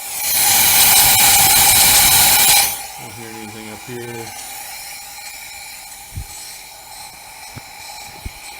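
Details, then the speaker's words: Subaru engine on engine stand, misfire code, low compression in that cylinder: leakdown test far beyond 10%, microphone next to exhaust, steady loud air hiss escaping out the exhaust, then quiet. Leaking exhaust valve. "So, it's got quite a bit of leak down. If I put my hand under here, I have air coming out exhaust. This is the issue."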